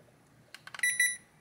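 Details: Hisense air-conditioner indoor control board powered on the bench through two pins, with no stepper motor or fan, switched on in cooling mode: a few relay clicks, then two short high beeps. Normal acknowledgment; the complaint is that the board later shuts off.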